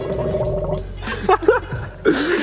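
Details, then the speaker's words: Radiator being filled with Mountain Dew soda instead of coolant; wet, irregular bubbling and burping from the radiator neck as the carbonated fluid gasses off and gurgles while filling. "like burping doing bubbling you're burping inside of there they can't even handle it"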